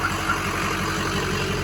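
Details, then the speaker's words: 2007 Ford F-250 6.0 Power Stroke diesel, fully built rebuilt motor with tuner, 268,000 miles: steady even idle with light rhythmic injector clatter over low rumble; healthy normal diesel idle. "that's the injectors kicking on it's hilarious"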